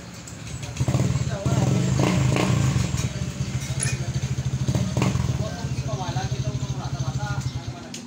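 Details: Honda Beat FI scooter whose dashboard was completely dead, fault found to be just the battery, no check-engine light: fires and settles into a soft, even low putter with no misses or knocks; normal healthy idle.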